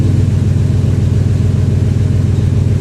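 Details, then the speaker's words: 2000 Ford F-150 5.4 V8, 115,000 km: a deep, loud idle with a coarse, rapid puffing pulse; a horrendous exhaust leak. "now with this tech to see why it's got such a horrendous exhaust leak"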